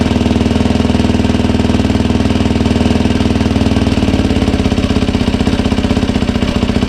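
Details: 2007 Yamaha YFZ 450 after rebuild and new water pump impeller seals and shaft: steady even single-cylinder idle about four firing pulses a second, no misses or knocks; coolant leak fixed.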